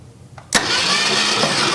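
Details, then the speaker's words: 1966 Ford Mustang project with points ignition, after cleaning points, key on: starter turns engine over steadily but it never fires; crank no-start, points suspected misadjusted or needing replacement. "Still ain't got no fire. I seen one spark. They're not adjusted right, probably."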